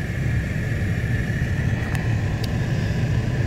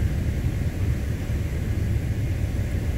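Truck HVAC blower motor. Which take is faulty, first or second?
second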